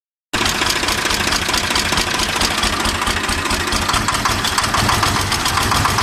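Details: 855 (FE) diesel tractor with black smoke and increased engine noise: loud, fast top-end clatter at idle; owner suspected loose tappet or broken bolt, found a broken rocker arm bolt.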